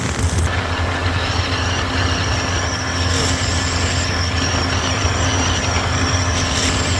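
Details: 1983 Evinrude 70hp outboard at high revs around 53–55 km/h, after new spark plugs and compressed-air cleaning cured lost full throttle: steady, even drone with no misses or surges, water and wind rush behind; running healthy.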